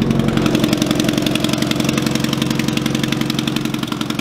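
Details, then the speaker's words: Truck idling after a first startup with a homemade welded exhaust: sharp puffing tick about four times a second over a steady idle. The exhaust manifold bolts have backed out of the head at the far back cylinder, so there is an exhaust manifold leak. "I'm gonna have to order full exhaust anyway because the head or the exhaust manifold bolts have backed out of the head for the far back cylinder so it there's no back pressure there"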